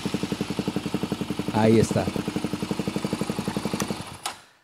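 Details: 2007 Honda TRX400X ATV after replacing a blown main fuse: quick crank, then a steady single-cylinder thump around four beats a second settling evenly before shutoff; starts and idles normally.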